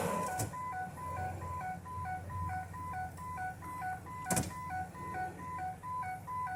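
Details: 2007 Ford E350 passenger van with AdvanceTrac RSC fault: two-tone electronic chime repeats steadily over the idling engine after restart; stability-control warning still active, reverse trick failed, cause suspected not confirmed.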